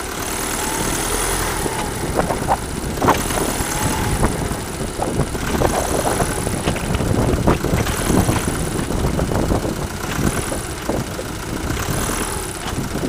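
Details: Engine running with irregular, sharp clattering taps that come and go as the throttle and load change: a rattle on load change, source not identified.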